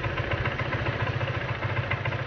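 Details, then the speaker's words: Honda PCX at idle after removing and cleaning the CVT side cover and clutch to fix take-off judder: even steady putter, no knocks, scrapes or rattles; sounds quieter, likely from the reseated slider. "แต่ผมว่าเหมือนเสียงมันเงียบขึ้นน่าจะเป็นด้วยตัวสไลด์แน่เลยเพราะผมใส่ลงล็อคเลย"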